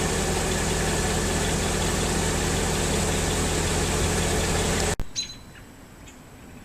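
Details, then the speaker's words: 2003 Mercedes S55 AMG at about 186,700 miles after replacing the ABC pulsation damper, heard at idle: steady, quiet hydraulic pump with no rising whine, no leaks and no ABC warnings. "and that's it my car is much quieter it was about new pulsation damper there's less hydraulic winding sound"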